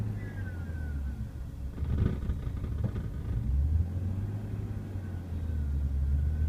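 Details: E36 BMW M3 on a cold start, after a recent camshaft position sensor and valve cover gasket job: rough, bouncing idle below 500 rpm that dips further when revved and sometimes stalls. Owner asks whether it is a vacuum leak.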